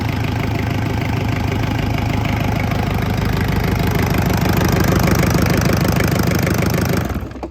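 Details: 1970s Isuzu C240 marine diesel on a bench test after bleeding air from the fuel system, first start: catches quickly and settles into a steady, even, knock-free idle, then shuts off cleanly.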